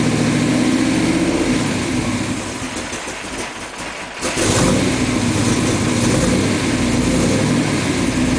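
Engine catches and settles into a steady, even idle with no misfire stumble or ticking; runs clean and healthy.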